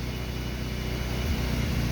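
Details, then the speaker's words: BMW E36 Compact 316i with 1.9 engine that won't hold idle at any temperature: releasing the throttle turns the drone uneven and lumpy, with false explosions, shaking and stumbling as it dies. Misfire at low rpm, cause not yet diagnosed. "empieza a fallar ahora mismo parece que hay unas falsas explosiones estamos soltando más el acelerador empieza a temblar"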